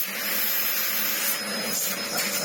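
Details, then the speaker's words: Restored Dyson DC04 upright vacuum, previously clogged with no suction or airflow, now cleaned out: strong, steady airy roar with a clean motor whine and no choking or surging; suction airflow is healthy. "Hear the airflow roar as it should do, as all Dyson DCO4s do tend to try."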